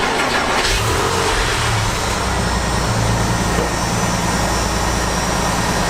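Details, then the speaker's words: 2001 Porsche 996 911, cold winter morning start: loud roar with harsh raspy chainsaw-like buzz from the secondary air injection pump, fixed by disassembling the pump and greasing the bearing; secondary air pump bearing noise. "this little noise at this secondary intake pump is making is so annoying that I got a wrench in the winter time"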